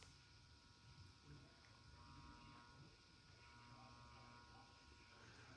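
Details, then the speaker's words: B&W ham transmitter with 6146B finals on 15m: steady electrical hum with a faint buzzy edge as it draws heavy current, about 50–75 watts out; plate tuning is hair-trigger and the final amplifier badly needs neutralizing. "You can hear it humming though, and it takes a lot of power when it's tuned wrong. So it needs neutralized badly."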